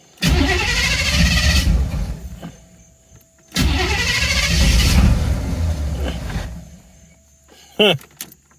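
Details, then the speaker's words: 1986 Camaro IROC after refitting the factory mass airflow sensor: two cranking bursts of about three seconds, never fires; crank no-start, owner suspects the MAF sensor is bad. "maybe this mass airflow sensor is bad hell i don't know"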